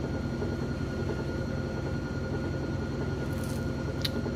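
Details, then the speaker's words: GE top-load washer, very heavy load of jeans and towels, final spin: steady low drum rush with faint constant whine, no thumping or banging, clothes spun with no excess water; normal final spin. "still sounds real good real smooth is a very heavy load"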